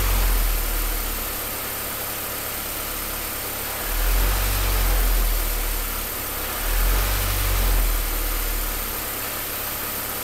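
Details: Low, uneven idle with slow surges every few seconds as the beat wavers; rough idle, cause not evident.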